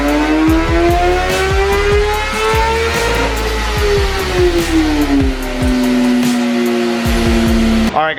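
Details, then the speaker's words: 2017 Kawasaki ZX10R (Gen 5) with exhaust and velocity stacks, full-throttle dyno re-baseline after readjusting a slipping clutch. Engine note climbs smoothly and steadily through the revs, then eases down with no flare, so the clutch holds cleanly. Normal pull. "we're getting ready to uh rebaseline it again and see what it does now that the clutch all adjusted hopefully this thing's salvageable"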